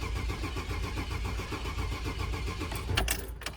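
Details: 2000 Chevy Express van with a crank no-start. The starter cranks steadily at about four pulses a second and the engine never catches. The scanner shows no cranking RPM and a crank sensor out-of-range code.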